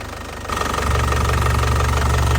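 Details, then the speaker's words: 2012 Isuzu Panther Grand Touring diesel, original, low km, engine fully warm with oil cap and dipstick removed and no smoke: even, low clatter at a steady idle, no knocks or odd noises; healthy warm idle. "kondisi mesin sudah panas ya tanpa keluar asap sama sekali ini kondisi mesin sudah panas ya kondisi mesinnya sudah panas tanpa keluar Asep"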